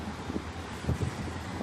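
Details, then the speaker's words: Honda Accord V6 with the check engine light blinking, codes P0135 and P0155, cylinders 1, 3 and 5 suspected not working: rough, uneven idle with irregular low thumps, a misfire. "गाड़ी में ये प्रॉब्लम है, मिसिंग और मिसफायर कर रहा है।"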